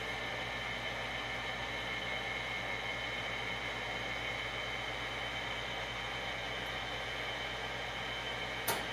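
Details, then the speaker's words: Gas overhead shop heater after the blower motor was repaired with two skateboard bearings: an even blower hum with no rattles, then a click as the gas valve opens and the hot surface igniter lights the burner; normal running. "there clicked on there's the the burner open or the gas valve open and now there she goes she hit the hot surface ignit her and we have heat again"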